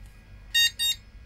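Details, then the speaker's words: Retro PC bought at a flea market, stuck on a POST code with the graphics card suspected. Two short high beeps over a quiet hum, still no picture; owner suspects dirty AGP and RAM slots, cause unconfirmed. "Oh. It's doing something else. Still no picture. It likes to bleep this thing, that's for sure."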